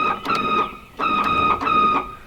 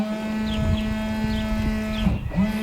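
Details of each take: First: Windscreen washer pump in a 1979 VW Rabbit pickup's old bottle: three short bursts of a high buzzing whine, one per press, pump running but no fluid comes out; owner thinks it's just the motor, cause not confirmed. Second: Volkswagen Rabbit Pickup windscreen washer pump after fitting US-sourced part: steady, even electric hum, clean buzz, no rattle or grind; earlier noise gone and pump sounds right, though no fluid squirts, owner suspects clogged lines.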